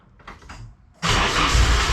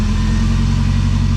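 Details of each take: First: Nissan 240SX, rebuilt after the timing chain snapped and pistons hit valves, timing roughly set at the distributor: the starter churns, the engine catches, dies down, then fires again into a rough, uneven idle, finally running on its own. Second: Nissan 240SX with an engine rebuilt after the timing chain snapped and pistons hit valves, at first start with timing roughly set at the distributor: a smooth, even idle with a steady low drone and no knocks. Normal idle.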